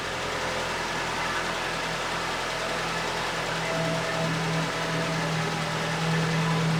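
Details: Late-90s Ford Escort 1.6 16V fuel-injected petrol, long parked, cold idle; steady, even idle with smooth low hum and no knocks or misses, running cleanly.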